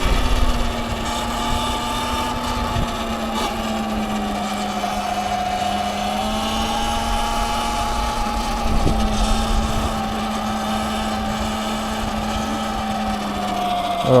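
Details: A $600 Sur-Ron electric bike on its first ride after four months of repairs. A steady high whine over the wind rises and falls slightly with speed. Electric motor whine.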